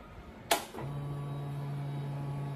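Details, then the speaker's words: Used motorcycle, about four months old with 2,620 km, heard from under the seat at key-on: a click then a steady low whir for about two seconds that stops cleanly; normal fuel pump priming. "Nah di situ biasanya ada suara ngegerung sesaat itu tandanya pompa bensin sedang bekerja ya"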